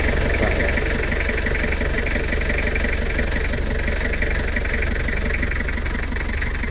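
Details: Toyota Kijang Kapsul LGX 2L diesel after valve clearance adjustment: even clatter at about four beats a second, steady and smooth with no tapping or misses, a normal healthy idle.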